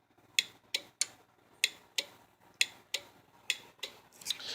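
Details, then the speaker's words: Bench-tested 2002–2006 Ram truck IPM with a small DC motor simulating the starter: sharp, dry starter relay clicks at an uneven pace with motor unhooked; relay switching normally. "so I'm gonna hit the ignition here and you see cranking like it's supposed to you can hear the relay if I unhook the motor here you can hear the relay clicking"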